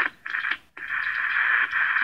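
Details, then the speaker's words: Vintage transistor radio from a hamfest with two bad electrolytic capacitors and missing ground screws: thin crackly audio cuts out and returns when touched; intermittent reception, suspected broken connection, not confirmed. "Still me touching it and it's working. Yeah. Something's got to be broken here."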